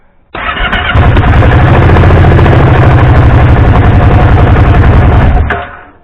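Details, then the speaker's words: 2014 Kawasaki Brute Force 750 (KVF 750) after fitting ignition switch: engine catches straight away, settles into a steady even beat without misses before shutting off; starts cleanly. "Ça démarre."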